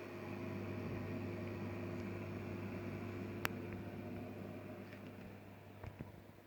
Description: Fluval FX6 noise after installing foam underneath the canister